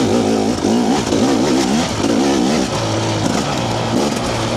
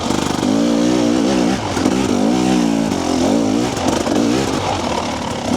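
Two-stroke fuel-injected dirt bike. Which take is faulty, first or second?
second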